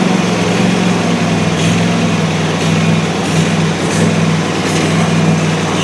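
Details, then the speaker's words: Country Clipper Challenger 52-inch zero-turn mower that wouldn't turn over, about half a quart low on oil, battery boosted, carb cleaner used: once running, steady even low hum with no knocks, misses or surging; engine sounds normal. "It actually very surprisingly did not sound bad once we got this thing running."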